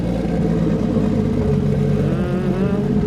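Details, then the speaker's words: RB25DET in an S13 with Haltech ECU, new wiring harness and drive-by-wire pedal from a 350Z: smooth steady idle, then a clean rise in pitch as the throttle opens, no knocks or misses; engine sounds healthy. "it all sorted out and she actually idles so i'm going to show y'all real quick my crazy wiring that we got all sorted out and let y'all hear this goodness"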